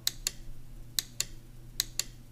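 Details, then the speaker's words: Johnson Evinrude FasTrak power tilt/trim unit (150-250 HP outboard) that wouldn't trim up or down, pressing trim up/down at the shifter: sharp paired clicks over a low hum; relays switching normally. "so you should be able to hear these whenever i i um try to actuate the the trim up at the shifter up pressing the up one you should be able to hear it clicking"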